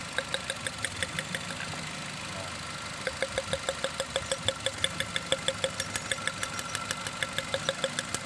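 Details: Nissan X-Trail at idle, heard at the exhaust: sharp ticking about three a second over an uneven, stumbling idle. The misfire is traced to worn iridium spark plugs past their limit, before replacement.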